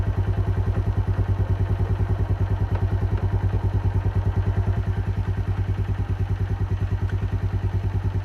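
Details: Keeway 125cc with Suzuki GN/GS engine, running after a replaced battery cured the no-start: even, low thumping idle with a steady, regular beat and no knocks or rattles; sounds healthy, normal idle.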